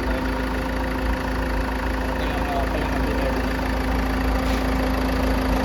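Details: Land Rover Evoque 2.2L diesel after timing belt, water pump, alternator pulley and belt tensioner replacement: steady, even clatter with a constant hum and no misses, knocks or belt squeal; normal idle.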